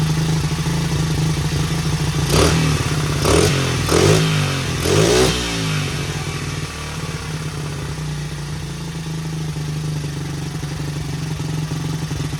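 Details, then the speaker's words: 1977 Honda XL75 single, long-stored, first start on one kick, carb uncleaned, choke on, throttle bunged up: idle thump with several quick blips rising and falling cleanly; runs pretty good, no smoke, float bowl seeping. "Well, I'm going to call that a success so far. Little XL75 runs pretty good for not having a carb clean."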